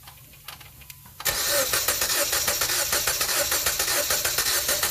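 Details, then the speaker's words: 2015 Jeep Patriot with P0304, warm engine, compression test cranking at wide-open throttle: uneven cranking beat, one stroke lighter, cylinder 4 dead hole at only 60 psi; misfire stayed on cylinder 4 after swapping ignition coils. "You can hear the audible tone difference. Dead hole."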